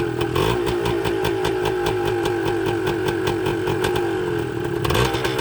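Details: 1980 Suzuki TS125 two-stroke, carburetor ultrasonically cleaned, tank flushed, fresh fuel: catches on one kick with choke on and settles into a quick, even crackling idle, no misfires or knocks; normal cold idle.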